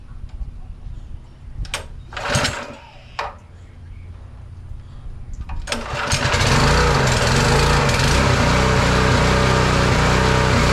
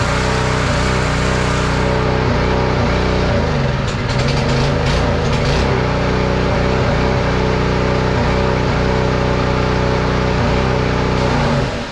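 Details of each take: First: Simpson pressure washer engine after carburetor replacement (old needle valve leaked fuel into engine): catches and runs a steady fast beat, then dies once the pump loads it; cause unknown. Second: Simpson pressure washer small single-cylinder engine after carburetor, fuel line and spark plug replacement: fires and holds steady even beat, pump building pressure, then shuts off; normal running.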